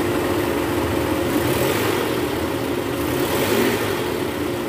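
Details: 2010 Toyota Vellfire, 2AZ-FE 2.4L, after balancer shaft replacement, idling in reverse: steady, even engine hum with no knocking or rattle; smooth, healthy idle.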